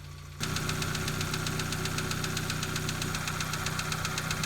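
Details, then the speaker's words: Idling petrol engine with oil level correct, before adding Rislone engine treatment: fast, even top-end ticking; suspected noisy valve lifters, not confirmed. "you can hear the noisy lifters right now oil levels are good so we're ready to add the wrist load additive and see how it works"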